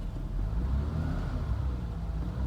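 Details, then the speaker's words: 1991 BMW M-technic II (E30) convertible, 134,590 miles, top closed, idling in neutral with the clutch pedal held down: smooth, even idle with no whir or rattle. The owner's noise appears only when the clutch is released and has not worsened in five years. "so I want you to kind of listen again here so that's what the clutch in"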